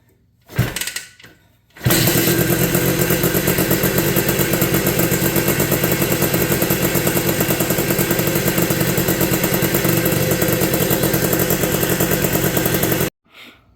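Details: 1983 Honda ATC 250R two-stroke three-wheeler first start after new piston and rings following an escaped wrist pin; after short cranking it fires and holds a steady crisp buzz, no rattle or misfire: runs normally.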